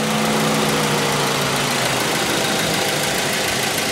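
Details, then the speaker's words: Car idling just after an oil change with a Mazda oil filter, after a brief start-up diesel-like noise from the oil pump purging air. Smooth, even idle with a steady low hum and no knocks or ticks; running healthy. "Listen to that thing purr."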